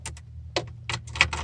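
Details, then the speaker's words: 1992 Nissan D21 pickup no-start: sharp dry clicks with no cranking when the key is turned, the stereo turns off and a relay also clicks; cause unknown. "92 nissan d21 pickup and it just clicks when i start it"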